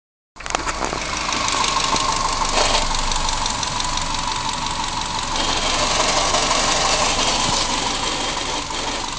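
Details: 1994 Subaru Impreza L EJ18 running with a sudden tinny metallic rattle, first suspected to be near the transmission. Fixed: a loose bolt on the headers heat shield was letting the shield rattle.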